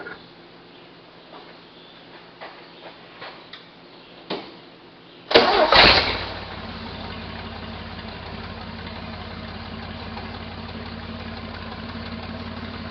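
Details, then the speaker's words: 1968 Jeepster Commando, Buick V6, misfiring on the rear cylinder: engine catches after cranking and idles rough with a stumbling beat; smoothness clearly changes when that cylinder's plug wire is pulled, spark seems present; cylinder misfire. "There's a definite definite change in how smooth it runs when that's pulled on and off."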